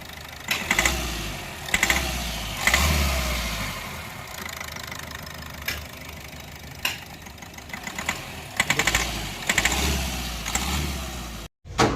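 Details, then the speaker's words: Diesel CRDI vehicle with a knock traced to cylinder 4, finally found to be an engine problem: oil is thrown out of the dipstick tube, showing heavy blow-by. Rough running with irregular sharp knocking bursts over a hard rattle. "ये तो oil फेंक रही है भाई साहब, oil जो है फेंक रही है। बंद कर दो। ये तो भाई इंजन होगा।"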